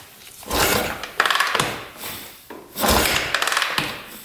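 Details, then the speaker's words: 1982 Honda XL500R dirt bike, kickstarted: the lever pulls the cable-operated decompression mechanism, releasing compression on each kick for easier starting. Two swings, each followed by light clicks as the decompressor snaps back. Normal decompression release. "it's pulling that decompression mechanism and allowing compression to release every time you kick it over so that's why it's so much easier to start without that you can hear it click back as you go a full"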